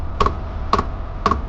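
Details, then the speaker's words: Diesel heater in a DIY RV with external tank fed from a top line, starting up; crisp double ticks about twice a second over a low rumble as the fuel pump pulses while it lights: normal fuel pump ticking at startup. "Try a little harder. Make me smile. It'll start ticking. There you go."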